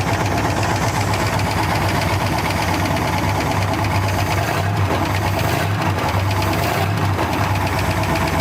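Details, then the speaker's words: 1957 Dodge Sweptside D100 V8, first run after sitting 50 years: lumpy idle with a light quick tick on one side; suspected lifter or sticking valve that may clear up. "A little bit of a lifter noise or valve or something. Sounds like on your side."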